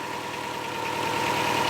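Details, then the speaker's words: One-owner turbo Subaru Outback XT, started outside in cold weather on a new battery: uneven, clanky, rattly idle with a gravelly texture, sounds horrible; owner suspects the rusty exhaust, the turbo failing, or the engine bottom end. Not confirmed. "That doesn't sound good. It doesn't sound good at all. All right, so the Subaru sounds absolutely horrible."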